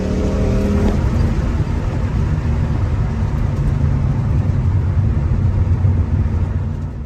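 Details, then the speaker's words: Ford Mustang GT 3V 4.6 V8 after a new engine install with new clutch, flywheel and headers, first start: deep, even rumble with smooth revs and no knocks, ticks or misses; drives fine, clutch smooth. "So it ran really good. I drove it. Clutch feels smooth. Everything feels good."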